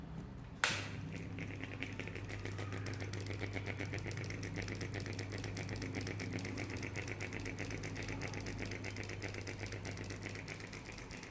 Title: Noisy ceiling fan